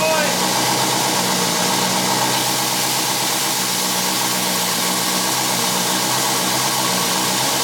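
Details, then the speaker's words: 1959 Studebaker Lark, 259 V8, just started after 36 years sitting. A loud, harsh, hissing roar with an uneven beat; rough running. Heavy side smoke has the owner wondering if the block is cracked, cause unknown. "oh yeah yes it's a runner I can't believe it oh my gosh I was about ready to quit on this thing"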